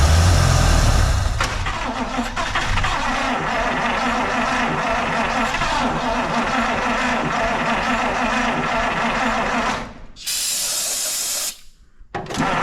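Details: 1953 Buick after fuel system restoration, trying to run on its own fuel supply while being fueled and cranked: steady rapid cranking at about four turns a second with uneven catches, never running. Crank, no start; cause suspected, not confirmed.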